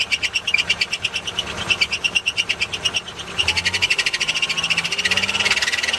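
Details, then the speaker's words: 1988 Toyota Hiace engine running well, air-con switched on: high, sharp chirps about three times a second over the engine; old A/C belt worn, slipping, to be replaced; worn A/C belt chirp. "Oh, it's running really good. It's drying off. But, the aircon belt's taking shit."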